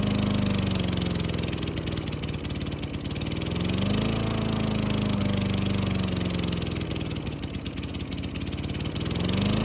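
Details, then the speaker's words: Yard Works lawn mower with 4.5 hp Tecumseh engine, free roadside find, taken apart and cleaned; after sputtering at first, once warmed up after about five minutes it runs with an even mid-pitched drone, only a gentle swell in speed; running smoothly. "It warmed up It worked perfectly."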